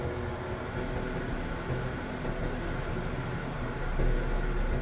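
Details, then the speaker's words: 2013 Honda City aircon blower motor: steady loud rushing hum with a low drone and no rhythm, louder than before and audible while driving, with weaker airflow from the vents; the blower motor is failing and gets replaced. "Parang mas umingay yung blower motor ng aircon ng car ko. At medyo humina yung buga ng aircon niya mga ka-project."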